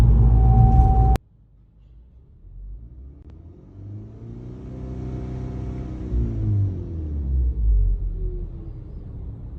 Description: Right after the turbo was installed the turbo made a whining sound under low or high load. The whining sound got so bad that other parts started rattling.